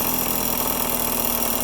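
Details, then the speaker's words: Yamaha PW50 two-stroke, warmed up, after fitting a new OEM throttle cable and setting the pilot screw: light, quick putter holding a low, steady idle without stumbling; normal idle. "i like it just so it's just purring not quite stalling but purring something like that"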